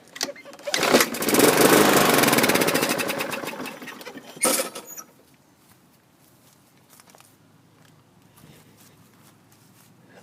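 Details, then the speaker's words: 2015 Yard Machines mower, Briggs & Stratton 550E, pull rope kicked back: catches and runs a few seconds, uneven, knocky and clacky, then dies; timing off from a partially sheared flywheel key. "you can hear it's not it's not sounding smooth something's off when it did start it was kind of knocky and clacky"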